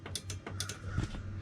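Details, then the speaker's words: 1998 International 4000 bucket truck with non-working running lights: the horn relay gives sharp, crisp clicks in quick bursts each time the horn is pressed, pulling in cleanly, so the relay is good. "oh i hear the relay clicking"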